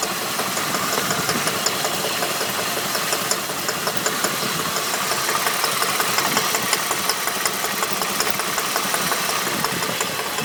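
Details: Holden VT at idle: light, quick rattling tick nearly three a second over a steady idle; engine knock, cause not yet pinned down.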